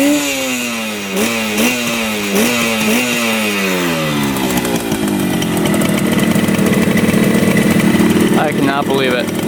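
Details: 1975 Yamaha RD200 two-stroke twin, first start after 20+ years in a barn: quick rev blips, then settles to an even ring-ding idle around 2000 rpm, both cylinders firing cleanly and hot; running healthy.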